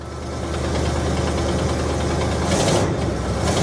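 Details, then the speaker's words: 1973 Buick Regal coupe, abandoned about 13 years, revived for a long road trip, at idle: loose, uneven ticking puff over a steady idle rumble; exhaust leak tick. Transmission separately reluctant to engage gear. "listen to that yeah other than the exhaust leak yeah i bet she'll go right into gear"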